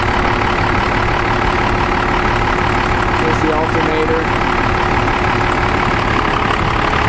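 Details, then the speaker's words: Dodge Ram 12-valve Cummins diesel with a 7s 2.5V/2600F ultracapacitor pack wired in parallel to the battery and starter, alternator just over 14 V: even, steady idle with no misses, knocks or hunting, a healthy six-cylinder tick-over. "sounds like it's running just fine"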